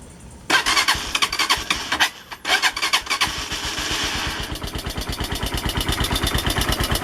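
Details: AKT TTR 200 motorcycle arriving for service: burst of revs then a choppy idle with loud clattery, hissy top-end engine noise; cause not identified, to get tuning and cleaning.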